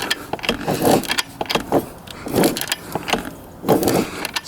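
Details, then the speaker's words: 1989 Yamaha YZ250 two-stroke dirt bike, seller said it won't start: several slow, uneven kicks with resistance, as if binding, engine never catches; owner fears rod bearing; cranks but won't start. "all right that's no go there's definitely resistance kicking over the kickstarter almost like it's binding up a little bit so that's not good"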